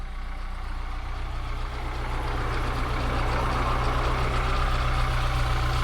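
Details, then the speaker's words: Austin Allegro 1300 A-series engine, 50 years old and recently bought, starts on the button and idles with a steady, even low thrum, rising smoothly as it picks up; healthy, "sweet as a nut". "50 years old, will she start? Of course you will, on the button. This is an A series."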